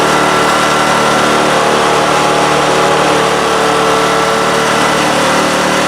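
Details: Craftsman snowblower after realigning the off-centre shift rod (it previously lacked 6th forward and slow reverse): small engine holds a steady, even drone at constant speed, no knocks, surging or grinding; normal running.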